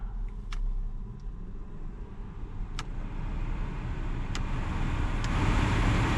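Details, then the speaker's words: Alfa Romeo MiTo heater/AC blower motor just refitted after blower and resistor failure inspection: smooth whoosh of air builds steadily with no rattle or squeal as the fan spins freely again; normal blower motor operation. "That motor is blowing again. Oh God, such a relief."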